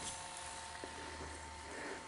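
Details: Sony SL-HF600 Betamax whose video head drum had not turned and whose capstan servo needed adjusting, now running after the repair: a soft, steady whir with a constant mid-pitched tone and no scraping or stutter, so the head drum spins normally.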